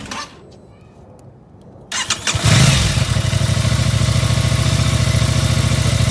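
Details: Aprilia RS660 motorcycle at idle: bike catches and settles with a steady tapping knock about three times a second over the exhaust beat; source not pinned down.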